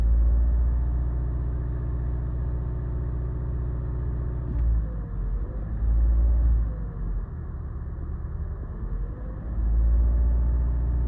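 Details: Mazda 3 (stated as 2015 and 2016) under throttle with flashing check engine light and codes P0302 and P0300: drone sags and surges unevenly with irregular stumbles; misfire on cylinder two.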